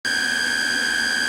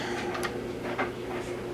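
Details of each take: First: JVC TD-W75 cassette deck in playback: loud, steady high-pitched squeal at constant pitch; owner suspects the main playback motor bearing has gone bad or needs lubrication, not confirmed. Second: JVC TD-W75 cassette deck after repair of its squeal, playing tape: quiet even whir with light ticking, no squeal or rising tone; transport runs smoothly.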